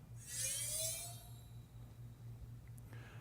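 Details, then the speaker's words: AC flush tank being pressurized with nitrogen, regulator set to 50 psi, during a leak repair. Soft hiss swells as the valve opens, then settles over a steady low hum. Nitrogen is flowing normally into the tank. "So I will set up to 50 psi, and as you turn this valve, you'll hear the nitrogen enter the"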